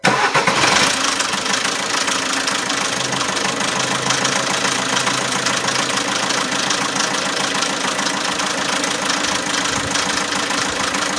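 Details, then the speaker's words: Alfa Romeo MiTo 1.3 Multijet diesel with timing synchronization and oil pressure fault codes: after the start, a loud, fast, uneven metallic rattle near the timing chain rides over the idle; the chain is suspected worn. "ine noise a very loud engine noise here near the timing chain the car also has some codes and when doing the diagnosis it has synchronization issues with the timing chain"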